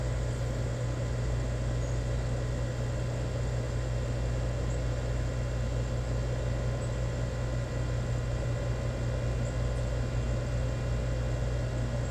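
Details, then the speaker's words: Newly installed Rheem EcoNet 3-stage inverter outdoor unit, indoor fan at high stage: low steady hum with faint airy hiss and audible inverter whine, smooth with no rattle or knock; normal quiet compressor running. "oh yeah we're definitely in high speed now in here going you can hear that whine of that inverter going really really not bad they're really quiet so"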